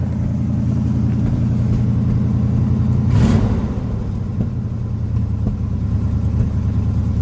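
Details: 1980 Chevy K10 after new starter, cleaned gas tank and new fuel filter, choke possibly misadjusted: cold engine on fast idle with steady even low rumble, slight popping/spitting of unknown source; brief clunk, then idle settles lower.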